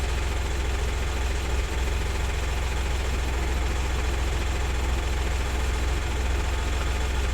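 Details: 2000 VW Lupo 1.2 TDI 3L three-cylinder diesel with automated 085 gearbox, idling during diagnostic scan with no faults found: steady deep even clatter, no misses or surges; normal idle.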